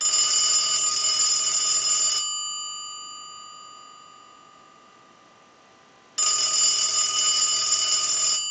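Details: Brass elephant telephone on final checkout after repair: two bursts of bright, even bell ringing about two seconds long with a quiet gap between them; the bell rings strongly and cleanly.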